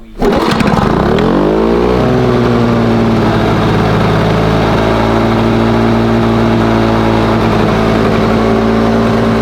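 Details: Lawn Boy mower after the fuel mixture screw was opened half a turn richer and the throttle closed a couple of clicks: starts, winds up, then holds a lowish steady buzz. Revs noticeably lower; owner plans to open it three clicks.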